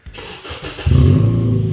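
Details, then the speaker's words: Car with its small rear muffler removed, at startup: the starter catches, then a deep booming idle with a loud droning rumble, far too loud. The exhaust runs a straight-through glass-pack muffler. "so Jackson has removed his rear Muffler which is a little tiny one which is put over there so the obligatory startup"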